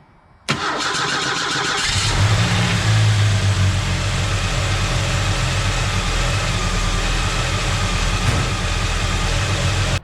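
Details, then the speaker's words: SVO four-cylinder, NGK TR-5 plugs before change to TR-6, cranks and settles into rough, lopsided idle: misfire, not firing on all 4 cylinders, smell of unburnt fuel, appeared while running with factory manifold. "Okay, I could tell that it was still missing. Hopefully it shows up in the video. I could smell unburnt fuel as well, and when I revved it up from inside here, you can tell that it's just not firing on all 4 cylinders."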